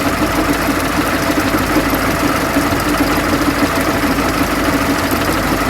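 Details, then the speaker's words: Transit Liner bus at raised diesel idle: wavering gear whine from the fan drive, owner believes the fan bevel-gear mitre gearbox is worn out; belt sitting deeper in pulley groove also noted. "I'm not gonna like my answer, but I think that's the mitre box."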